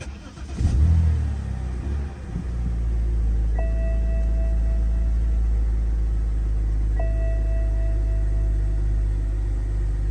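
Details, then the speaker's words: BMW 325i E90 N52 engine, restarted after many parts were replaced: uneven, stumbling idle with an irregular lumpy beat of about three pulses a second; still misfiring, owner suspects the crankcase ventilation (CCV) system. "Okay, this time started better, but it's still misfiring. So yeah, as you can see, the car is still misfiring."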